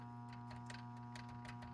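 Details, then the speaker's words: Data East Jurassic Park pinball, T-Rex head center switch clicking reliably as actuated, little play; faint uneven ticks over quiet electrical hum; considering bending arm or replacing with new cherry switch. "Hear it clicking. I don't know if y'all can hear that or not, but it seems reliably clicking."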